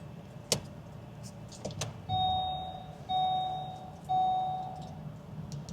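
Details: 2020 Vauxhall Corsa with ABS, ESP, TPMS and handbrake warnings, ignition on: three clear mid-pitched chimes about a second apart in a quiet cabin; broken wire in the rear ABS sensor wiring looms, fixed by refitting both rear looms.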